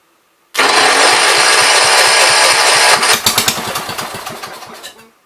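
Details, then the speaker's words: 1973 John Deere 110, on gas after a slight carb adjustment, carb not yet cleaned: catches with a loud roar, then uneven slowing pops, and it dies within two seconds. It acts flooded; the owner plans to clean the carburetor. "That was on gas. Kind of acts like it's flooded, but yeah. Alright. We're gonna have to clean the carb."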